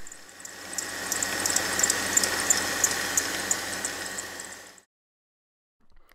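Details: Mercedes engine running: sharp high chirps about three times a second from a dry idler pulley bearing on the serpentine belt drive near the water pump, isolated as the squeak's source rather than belt slip.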